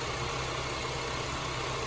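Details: Honda Civic 1.8 (2006-2011) with alternator charging about 14.2 V: steady, even idle hum with no knocks, misses or squeals; engine runs normally.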